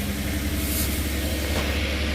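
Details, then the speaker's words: 2007 Kia Sorento RWD after driveshaft replacement (a balancing part had caused banging), rolling. Steady low rumble with no rhythmic banging or shudder; the driveshaft turns smoothly in balance where it used to bang. "Drive shaft looks smooth. Right where it was banging looks smooth. I think we're good to go."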